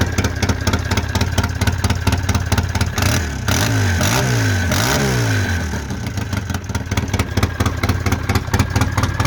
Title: polaris sportsman 700 exhaust leak